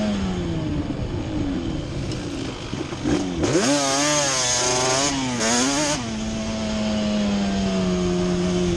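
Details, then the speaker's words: Yamaha Banshee twin two-stroke ATV after moving carburetor needles back to the middle position, which cured the misfire (new coil and plug caps hadn't): crisp clean revs with throttle, both cylinders firing evenly. "just moving the needles back up to the middle position straightened it out we're gonna take it for a spin now"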